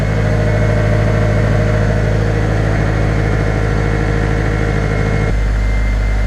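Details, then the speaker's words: Honda K20-swapped project car, cold start after replacing suspected faulty idle control valve, borrowed battery: steady even idle at 1500 rpm, MAP steady, no misses or hunting; normal cold fast idle slowly dropping. "That looks a lot better. So we're at 1500 now. Map steady, nice and steady."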